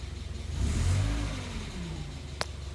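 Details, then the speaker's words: NA Mazda Miata after its intake charge tube was reseated on the mass airflow sensor, which fixed stalling at idle: a low, steady hum with a diesel-like tap but otherwise smooth, a healthy idle. "taps like a diesel and otherwise prayers like a kitten yeah"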